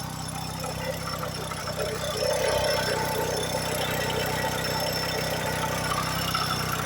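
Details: PT Cruiser engine at idle: an uneven tapping about four times a second with a faint squeal, and idle rpm jumping. The owner believes something inside broke and the engine needs a rebuild; the cause is unconfirmed.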